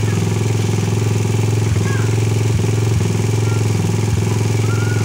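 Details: Rusi 150 single-cylinder motorcycle idling after fixing a no-start with very weak spark: faulty stock spark plug cap replaced. Steady putter around 200 beats a minute, even and unbroken with no misses; normal idle with good spark.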